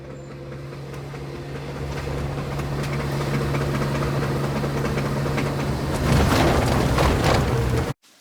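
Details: Sharp repeating clicks, about four per second, rising with road speed over engine drone, from a wheel whose nuts were left loose; loose wheel nuts, a noise heard before a wheel detaches.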